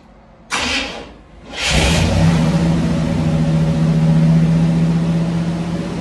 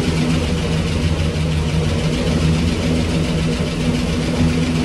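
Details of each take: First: 1965 Cadillac Coupe DeVille V8, off the road about 15 years, oil not yet changed, on jack stands in reverse; steady even idle but sitting slightly high, needs lowering, high idle. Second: 1965 Cadillac Coupe DeVille V8 with Flowmaster exhausts, first start after 15 years, running on hand-fed fuel: a steady, even burble with no knocks or ticks and a possible small exhaust leak. Normal idle.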